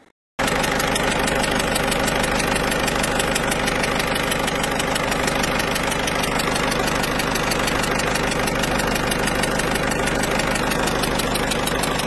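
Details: Citroën C4 Picasso 1.6 HDi, pre-05/2010, idling: sharp regular ticking puff over clatter about three a second; leaking injector seals, to be replaced to avoid turbo failure.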